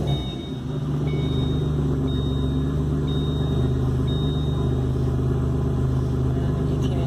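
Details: Turbo petrol engine after repair idles with a steady, even low rumble and no hiss or stumble. The vacuum leak was traced to a dried, cracked hose running from the interior to the engine bay, and that hose was replaced.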